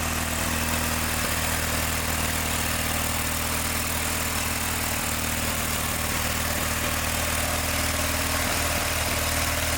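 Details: John Deere 318 lawn tractor: a flat, labouring idle with an occasional stumble every few seconds and no crisp firing, no power, and it got hot fast; the points are barely opening because the gap is too small.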